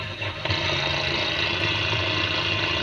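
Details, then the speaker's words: 1938 DeForest 7D832 tube radio receiver during restoration, fed by bare unshielded antenna hot lead with ground open: steady raspy buzz with thin high whine, no station heard; switch-mode power supply interference, cleared by grounding the shield. "remember i told you if uh you have just two wires and you have just just an antenna wire hooked up how i'll pick up switch mode noise"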